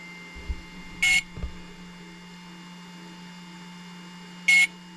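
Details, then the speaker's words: Hobbywing XRotor X6 Plus DroneCAN motor on bench, powered by two 4S batteries in series: two short high beeps about 3.5 s apart over quiet hum; ESC ready but Cube Pilot flight controller not yet communicating. "You can hear it just going beep about every 2-3 seconds. That's what we want. That means the motor is happy and ready, but the speed controller, or actually the Cube Pilot flight controller, is not talking to the speed controller yet."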